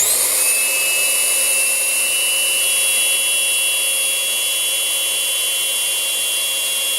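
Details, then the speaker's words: Rowenta Compact Power Cyclonic bagless vacuum, about two months old: motor roar with a loud steady high-pitched whistle; swapping filters with an identical unit proved its HEPA filter had lost airflow capacity, needing replacement. "ну вот мы и выяснили причину все дела фильтре вот так называемые hepa фильтр он при длительном использовании уже потерял свои пропускные способности за этого начинается связь"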